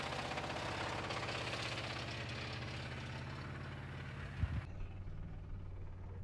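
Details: Blown engine started on a mildly chilly day, low idle with a heavy deep bang in time with the crank: definite rod knock, though it is still making oil pressure.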